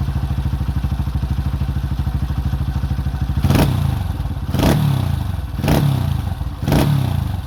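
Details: 2005 Honda CRF150F single after valve adjustment and carburetor tune-up (no-start, traced to the carb), during carb adjustment: it ticks over evenly, then takes four crisp throttle blips about a second apart and returns cleanly. Running healthy.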